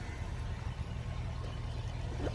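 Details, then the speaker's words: Old shop truck idling after a poorly contacting under-hood driver's-side fuel pump relay was cleaned and reseated, a tentative fix: low, steady rumble with no stumbles or knocks; it runs evenly and sounds good. "But right now it's running, it sounds good, and I couldn't be a whole lot happier about"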